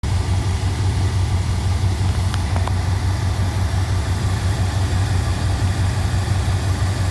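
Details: 1987 Chrysler Fifth Avenue V8 after new lifters and manifold gaskets: smooth even idle with steady low burble, previous lifter tick gone.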